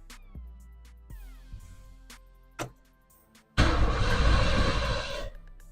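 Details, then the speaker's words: 3rd-gen Chevrolet Camaro Z28 being primed after a fuel pump swap; the sending and return lines at the tank were found flipped. The starter churns hard for nearly two seconds but never catches because no fuel reaches the engine. Crank no-start from no fuel delivery. "Nope. It's still not getting fuel, I think. Okay. Went to the back, check the lines, realized I had the send unit or send line and return line flipped."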